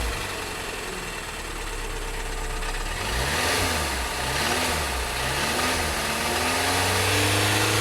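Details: 2012 VW Tiguan GDI turbo that stalled with suspected low oil pressure, still 2 quarts low after oil added: revving up and down with rough hard knocking growing with throttle, smoking when gassed; rod knock, engine finished.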